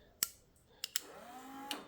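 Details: Toyota electric differential locker wired with two relays: sharp relay clicks, then a brief rising actuator motor whine as the locker engages, ending in a relay click at the limit stop; operating normally.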